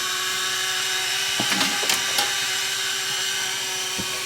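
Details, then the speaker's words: Repaired Sony DSR-11 DVCAM deck, front cover off, in rewind: loud steady high-pitched screech with constant tone, little quieter with cover on; owner thinks it's the capstan motor bearing, left unfixed. "probably not quite as loud with the cover on well maybe it is ah quite as loud there that's a little better still out I think that's the caps and motor [Music] bearing"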